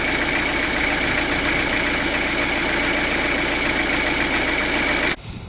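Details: Citroen BX 17 diesel, cam belt changed a few hundred miles ago, new clutch about 10,000 miles ago, engine bay free of leaks: steady, even diesel clatter at idle with no knocks, misses or hunting; engine healthy.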